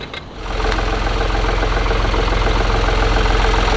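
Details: Opel Astra K with three-cylinder LXD D15DVH turbo diesel idling with a steady knock of about three to four beats a second from the drive belt pulley.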